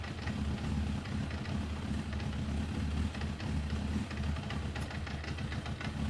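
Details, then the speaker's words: 1994 Suzuki GSX-R 1100, stored in a garage for over 10 years, started in neutral on a new battery. It settles into a low, steady idle with an even rumble and no knocks or rattles, running fine. "running oh yes oh oh that's brilliant so we've had a good start"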